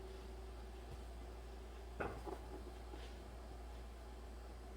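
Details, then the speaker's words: 2008 Dodge Ram 6.7 Cummins diesel towed in for random stalling and power loss, code P1011 (high-pressure fuel pressure low): aftermarket lift pump commanded on by scan tool after replacing its blown 10 A fuse. Quiet steady low hum with faint even whine; pump running normally. "so i put another 10 amp fuse in there i'm going to use the scan tool to turn it on now i can hear the pump running"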